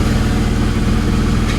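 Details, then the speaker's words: BMW E46 with codes for cylinder 5 misfire, random misfire, O2 sensors and fuel trim, after clearing codes: loud, uneven, stumbling idle, still misfiring and running rough. Owner suspects a valve cover issue. Cause not confirmed. "still has a little bit of a misfire yeah definitely runs rough"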